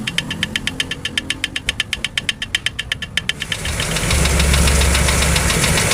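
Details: Toyota 2E engine with a sharp, regular knock about four times a second over a steady idle, then masked by a louder rush of engine noise.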